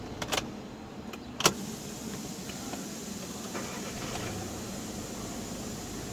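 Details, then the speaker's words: 2012 car with a 7-speed DSG gearbox, 13 km after a noisy flywheel was replaced: a few clicks at first, then a quiet, steady normal idle with no rattle, judder or steering-wheel vibration. "şu anda herhangi bir soluk yok arabamda direksiyonda titreme yok"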